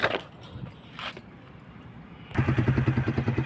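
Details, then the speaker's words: Kawasaki KSR: a few weak turnover attempts and pauses on a weak battery, possibly also low on fuel, then it catches into a quick, even thump of about ten firings a second. Slow to start, cause unconfirmed. "นี่KSRลองฟังเสียงเครื่องดูนะฮะนี่แบตอ่อนนี่ๆติดแล้วนะฮะนี่อ้าน้ำมันหมดหรือเปล่า"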